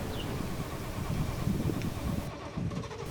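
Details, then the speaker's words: 1970 Triumph TR6 at first start after restoration, cold day, carbs without air cleaners: uneven idle with a light valve clatter over the low rumble; the valves need adjustment. "the valves I can hear need adjustment already and there are many issues so needs more work"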